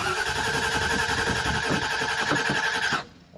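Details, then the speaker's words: 1968 Mustang Fastback with a newly installed Holley Sniper EFI 2, after fuel fittings were tightened to stop a leak: fast, slightly uneven cranking for three seconds that never catches. It cranks but won't start with no spark; the coil is suspected. "we not starting now we got it started that one time then we removed the fittings and tightened them up to prevent the fuel from leaking when we went to start it again it wouldn't start"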